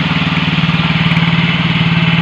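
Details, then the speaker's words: Yamaha Mio J automatic scooter, no throttle applied: fast, evenly paced putter sitting well above normal idle; idle speed too high and rising by itself, adjustment to follow with the battery removed. "Ini tinggi dan ini tinggi di sini, di posisi ini ini tinggi. Sangat kencang, bahkan belum digas tapi gasnya sudah tinggi,"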